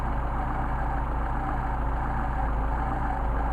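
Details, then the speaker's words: Mercedes 190SL with freshly tested Solex carburetors, idle mixture needle screw turned far off its midpoint during adjustment; low idle with a slightly uneven pulse as the engine starts to degrade and stumble, fixed by returning to midpoint. "if I go very very far you can t really start to see gray doesn't take much this is fairly delicate precise needle valves here"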